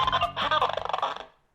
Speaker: crackling sound the audio is not clear it's inconsistent popping this is what's going on